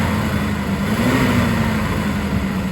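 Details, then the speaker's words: 1967 Plymouth Barracuda, Mopar 273 LA V8 with 120k miles and good compression, first start after about 20 years following Carter BBD 2-barrel carb rebuild: slight miss, revs sag back slowly after a blip; rev hang, cause unconfirmed. "She's only missing a little bit. Woo! Man, that's got some rev hang."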